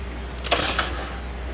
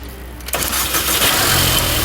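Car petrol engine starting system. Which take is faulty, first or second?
first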